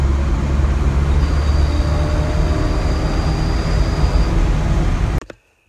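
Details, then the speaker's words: 1990 Honda Civic EF hatch driven after rear drum-to-disc conversion: steady low road rumble, the previous wheel hub hum is gone; rear wheel hub sounds healthy. "all right it drives so incredible now rear disc conversion definitely makes a difference over drum"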